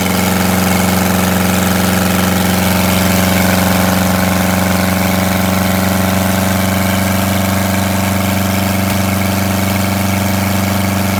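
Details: Detroit Diesel 8V92TA in a Wanderlodge RV idling after a failed injector was replaced: steady, heavy idle with an uneven, lumpy beat about four times a second, still missing on a cylinder, later found to have scored and cracked liners.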